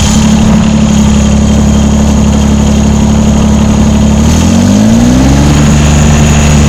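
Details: John Deere 332 garden tractor just after a hydraulic/transaxle, engine oil, air and fuel filter service, electric fuel pump primed and bled: steady, even engine drone with a clean low hum that rises smoothly as revs pick up. Runs healthy.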